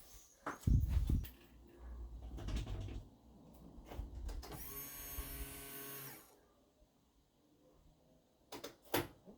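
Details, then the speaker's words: Classic Mini MPI in-tank fuel pump replacement, bench-tested before fitting in tank with ignition on: steady buzz for nearly two seconds at even pitch, then stops cleanly; new pump working. "okay so we've got the pump all uh connected up let's turn the car on we should hear it buzz"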